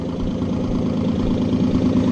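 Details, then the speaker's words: Nissan 300ZX back on the road, loud lumpy idle with an occasional uneven putt-putt in the exhaust beat; owner unsure whether it's a different misfire, and it comes and goes. "oh god i don't know what what that putt-putt sound is i don't know if that's a different misfire or what"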